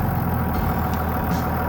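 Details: After the squealing alternator (first suspected to be the belt) was replaced, the truck engine idles steady and low with an even rumble and no squeal left, sounding smooth and healthy.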